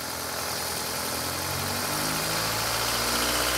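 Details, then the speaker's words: Stock 1997 Toyota RAV4 engine, restarted after 11–12 psi boost dyno pulls: steady idle with a fast, light rattle from the head, about four taps a second. "Yeah. Although, yeah, it sounds like something in the head, to me."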